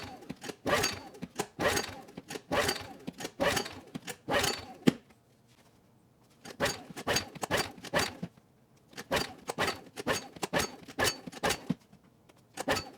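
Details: Honeywell HW2000i 2000 W inverter generator, cold next morning, choke and fuel on: repeated rasping recoil pulls about one a second, never catching or firing; cause was a Torch spark plug gapped far too small.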